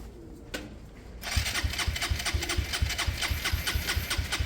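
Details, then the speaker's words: Motorcycle after Hanway carburetor conversion, spark present, starting spray used: starter churns in uneven pulses with rough kickback, engine never catches; owner previously saw kickback from timing issues, cause unknown. "That's weird. That back kick. That's weird. I've had that before, but that was timing out issues. Why is it doing that now?"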